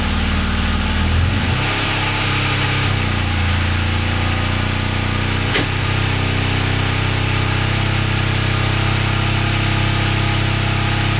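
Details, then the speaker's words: Four-cylinder motorcycle with coils ungrounded from the frame and plug wires one and two disconnected: after a brief stumble, the engine settles into a lumpy, uneven beat, misfiring on two cylinders. "so it seems not to matter whether the coils are grounded or not the bike does continue to run on two cylinders when plugged one and two are disconnected"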